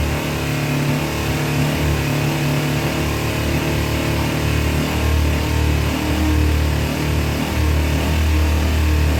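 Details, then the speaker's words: 2000 Kawasaki Ninja 250 sat a year, just after carb cleaning: small twin held at 4,000–6,000 rpm (redline 14,000), hunting up and down, won't settle to idle. "Believe me, that sounds worse than it is. We're running around 4,000 to 6,000 RPMs, and this thing red lines at 14,000."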